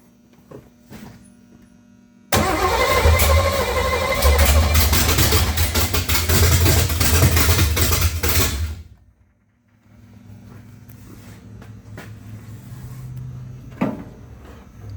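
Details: Freshly built 355 small-block Chevy V8 (double-hump heads) in a '55 Chevy, first fire-up after cranking to build oil pressure and getting fuel: short crank, fires and settles into a loud, deep, steady rumble about six seconds before shutoff; normal first start.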